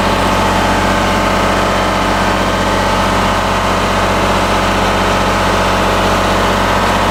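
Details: Kohler Command Pro 27 hp V-twin lawn mower after a head gasket repair, with the muffler gutted because its baffle was breaking apart: a steady, even idle with a loud raspy bark and no misses; it is just very loud.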